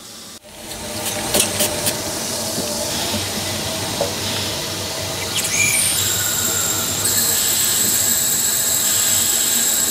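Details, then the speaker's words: Merlin, a one-foot-gauge 0-4-2 steam tank locomotive, at about 80 psi, testing the injector with water then steam valve open. Hissing steam, then a thin high chirp that steadies into a clear whistle as it picks up; the injector is working normally. "Pull back on the water a bit and you'll hear it start to chirp like a little canary in the"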